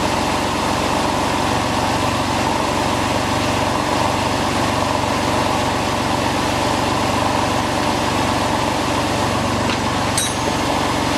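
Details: Porsche 911 996 C4S flat-six idling smoothly at first start after replacing power steering pump, alternator and starter motor and refitting drive belts; no noisy steering pump or rotating-part grinding heard.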